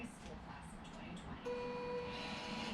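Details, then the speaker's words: Resin 3D printer (Phenom vs T1000 comparison) peeling a large first layer: a steady high whine from the Z-axis stepper motor straining to overcome vat suction as the build plate lifts. "now you've got this suction issue that it is trying to overcome and you can hear that motor really working hard"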